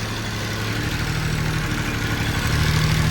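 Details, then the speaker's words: Kubota ZD28 zero-turn mower with D1105 diesel: uneven, lumpy idle that sags and labours as if about to stall; engine bogs down at idle even after fuel filter changes and injector cleaning, no fuel leaks found; owner suspects fuel loss. "You hear the engine trying to boggle down. So, I still have the problem."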